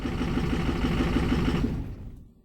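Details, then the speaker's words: 2006 Ford 6.0 Power Stroke diesel bought as crank-no-start: lumpy, loping idle, stumbling and dying within two seconds when cylinder 8 is disabled; injectors pass buzz test but cylinders 7 and 8 do nothing, suspected low compression, lifters, cam or pushrods. "his ain't runs terrible so see if we can figure out what the holy hell so I did do a buzz test before I even tried to crank it all injectors past the buzz test looks like we have seven and eight not doing a thing"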